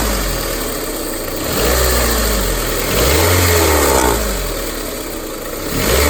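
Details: 2001–2005 Honda Civic LX engine revved in repeated blips: whirring whine rising with revs, strange noise when accelerating; worn-out timing belt tensioner.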